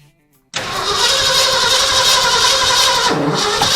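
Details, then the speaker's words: 1979 Ford F350 V8, first start attempt after about 15 years parked, with fuel squirted down the carburetor. Harsh, ragged roar that never settles into an even beat; the plug wires were in the wrong firing order. "I looked it up on my phone to double check that I wasn't doing the wrong firing order. Anyways, I was."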